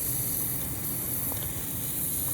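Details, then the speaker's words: Manitowoc ice machine not making ice: continuous high airy hiss over a low hum, refrigerant escaping under strong pressure at a factory weld, located by sound and oil residue. "It's right there. And pressure's so strong it's blowing it off, but it's right there."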